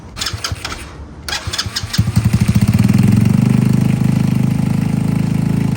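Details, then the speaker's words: Cold start with choke out of a Boom Vader (Grom-style) after fitting a Nibbi PE 24mm carb in place of a VM22 Mikuni copy, on the carb's factory tune: a few cranking pulses, then a steady, quick, even single-cylinder idle; clean cold start needing little adjustment. "That actually sounds real good. That's crazy. I was gonna adjust that fuel, that air and fuel ratio, but that actually sounds real good. It actually sounds like I'm not gonna have to move a lot. That's a cold start."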